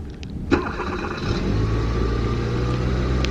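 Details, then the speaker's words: 2013 Kia Soul in very cold weather with oil found very low; a quick crank catches at once into a smooth, even idle with no knock, only the airbag light on: a normal cold start. "Nope, she sounds great. The only thing that's on is the airbag light."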